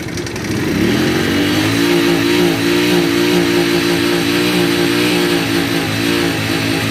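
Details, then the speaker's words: Shineray 50cc motorcycle engine revving with a light, fast metallic knock ("batedeira") over the exhaust note; mechanic suspects cam chain, possibly connecting rod or a blown bearing, before opening the engine. "ah tá batendo pode ser a corrente comando galera também a gente vai abrir aqui para verificar para ver o que é que vai estar gravando"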